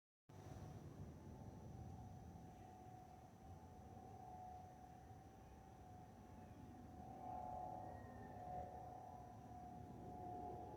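A steady mid-pitched whistle holds over the cabin roar: the usual fuel overpressure vent whistle on an A320-family jet, nothing wrong.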